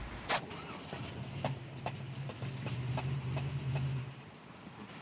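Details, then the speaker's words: 1972 Chevrolet Nova engine running: quiet with sharp uneven knocks deep inside, few per second over low hum; nothing visible on top, compression occurring during intake stroke, timing chain suspected shifted or broken, unconfirmed – internal engine knock. "So, it's almost like the knock we're hearing is deep inside and internal."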